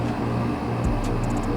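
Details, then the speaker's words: Old portable air conditioner after repair of a seized compressor and blown capacitor: compressor kicks on after a delay with a steady, even low hum, no knocking or rattle, and the evaporator soon ices up; normal compressor running. "All right, compressor kicked on. It's even got the light lit, and it sounds like everything's working."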